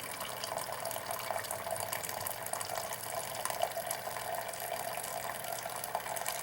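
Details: Classic Keurig K60/K65 after cleaning nozzle and pump blockage; quiet steady trickle into the cup with soft gurgles, pump not straining, then refilling internal reservoir — normal brewing, fixed.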